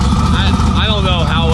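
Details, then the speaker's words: Turbo V8 drag car with Holley Dominator ECU after second clutch install attempt: wavering high screech over a loud, rough V8 rumble; failing triple-disc clutch, hub slipping on too-short splines. "faced with the horrible sounds of a screeching dying clutch the boys knew they had to take Leroy apart once again"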